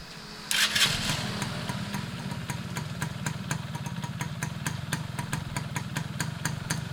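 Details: Restored Yamaha F1ZR two-stroke with a rebuilt stock (STD) engine and full clutch: fires up at once and holds a steady crisp popping, about four beats a second, clean and even; healthy after restoration.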